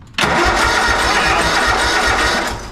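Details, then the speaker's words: Used riding lawn mower with no fuel, cranked on a booster pack: the starter spins the engine with steady, even compression thumps about five a second; cranking sounds healthy with good compression, it just needs fuel. "she sounds good she even sounds like she got compression that's awesome"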